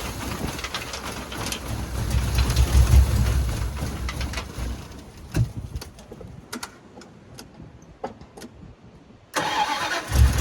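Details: 1989 Dodge three-quarter-ton base-model truck that had sat for years, with almost no fuel in it and primed before starting: it catches after a short crank and settles into a steady even low idle with no smoke. Healthy.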